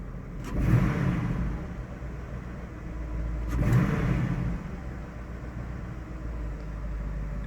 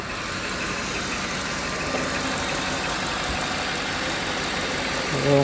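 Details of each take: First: About 2008 Cadillac, no check engine light, snap throttle: stumbling revs as many cylinders misfire, cylinder 4 possibly worst; suspected spark plug or ignition problem, possibly fuel-related. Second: Cadillac, possibly a 2008, after misfire repair, with no check engine light. About three seconds after start-up, before heat soak: steady, even idle with no stumble or skip. Normal idle.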